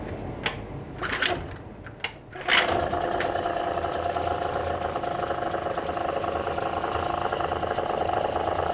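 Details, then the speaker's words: Tohatsu 5 (or Chinese equivalent) outboard after reinstalling the lower gearbox: a few knocks and a pull, then it catches and settles into a fast even buzz with fine ticking. Normal running; water should flow from the tell-tale hole. "Запускаем мотор. Если все было сделано правильно, то после запуска с контрольного отверстия пойдет вода."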